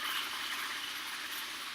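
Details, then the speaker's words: Drive-by-wire throttle body on AEM Infinity ECU, ignition on, engine off, during PID tuning with proportional gain raised to 8: steady high-pitched buzzing as the throttle plate flutters and oscillates wildly, also visible on TPS log; gain too high. "probably can hear that as well and if you could look at my throttle bodies on my throttle body plate like I am right now it's just going crazy and you can see it on the log right here as well"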